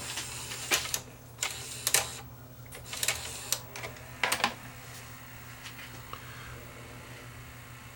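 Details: Sony EDV7300 ED Betamax after servicing the loading motor, which had been sticking and not engaging the pinch roller: crisp mechanical clicks and clunks about a second apart, then quiet running; tape loading and eject now cycle normally.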